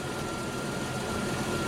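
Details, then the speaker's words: Chrysler Valiant Slant 6 at idle after its first valve adjustment: smooth, even six-cylinder idle with faint steady whine and barely any ticking, much quieter than the heavy ticking before. "now you can't hear it so quiet just barely hear any ticking"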